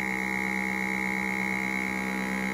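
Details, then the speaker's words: Foodsaver vacuum sealer, testing the pump connected directly to one hose branch with the door open: steady, even hum at a fixed pitch, no rattle or surging; pump works fine, the fault lies in a hose. "sounds like this is working fine yep okay"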